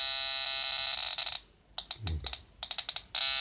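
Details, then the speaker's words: Pirat metal detector powered through a voltage converter, sensitivity reduced, tested on a cluttered table: steady high tone breaks into quick chirp bursts as gold rings pass the coil at about 10 cm; normal target response. "вот на колечках реагирует с преобразователем даже сделал чувствительность поменьше и получается вот тут за столом можно вам показать что вам на золото нормально реагирует примерно 10 сантиметров"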